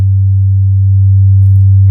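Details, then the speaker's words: Infinity SM62 bookshelf speaker woofer after rotted-surround replacement, driven by a Leader LAG120B signal generator near 100 Hz: a clean, steady low tone with no buzz, rattle or scraping. Normal, healthy playback. "Yeah, I can feel 40. Things are starting to vibrate."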